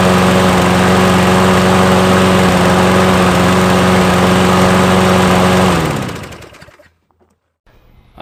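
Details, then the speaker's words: Nearly new Toro mower with electric start, found discarded, on ethanol-free fuel with Sea Foam and a newly installed air filter. It runs smooth and even with a steady low hum for about six seconds, then is shut off. Normal running. "happy when things work out got a free mower and it starts and the electric start works as well"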